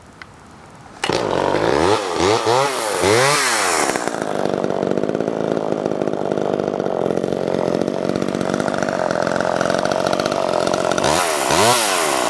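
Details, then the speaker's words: Mid-1980s Homelite Super EZ Automatic chainsaw after carb rebuild, new plug, fuel line, filter and intake gasket, running Opti-2 mix: starts cleanly, blips through revs, holds a steady crisp buzz, good idle, oiler working; normal running. "Running great now, and the manual oiler is working good as well too."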